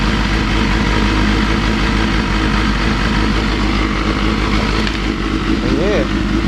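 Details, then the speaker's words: Honda CBR250RR (MC22) four-cylinder after replacing cracked carb boots and syncing carbs with a Morgan Carbtune; steady, even idle with smooth exhaust rumble, no surging; carbs balanced, normal idle and throttle response. "yeah hear the exhaust tiring is just that b b Rumble sounds awesome yeah uh throttle this one is awesome"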